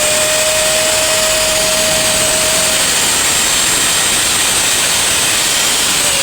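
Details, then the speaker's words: Angle grinder after gear repair and refitted carbon brushes, plugged in and run up: steady, smooth high-pitched whir with even tone, no grinding or rattle; repaired grinder runs well, normal running. "So ibig sabihin mga winding, so goods na to. Okay na tong ating ni-repair na grinder. So maganda na yung kanyang tining."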